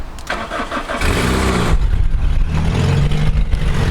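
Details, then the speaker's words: T-Sport Corolla daily driver after refitting a drive belt that had come off (steam seen after driving home, coolant to be checked); brief crank, catches and settles to steady idle, no belt squeal, slight exhaust blow; normal start and idle. "Now, ignore the blow on the exhaust. Oh my god, it's so windy. There we go. Belts is belting. No complaints here."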